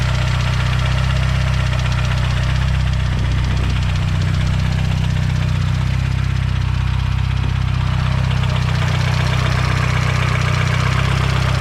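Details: Fully built Mazdaspeed 6 engine failed, something let go: idling with heavy, steady knock about four times a second, major rod knock.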